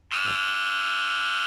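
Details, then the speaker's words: BSV-IC008 solar wireless drip irrigation controller, programmed for 4 minutes every 5 days: a loud, continuous, single-pitch buzz starts abruptly as it shows error E2 because there is no water supply. "Voilà, E2, c'est parce qu'il n'y a, il y a plus d'eau."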